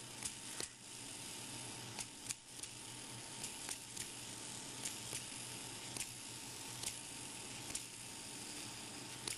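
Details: Yo-yo bearing being repaired with lubricant, shields removed: light steady whir with scattered irregular ticks about every two seconds as it spins; cracked bearing smoothing out.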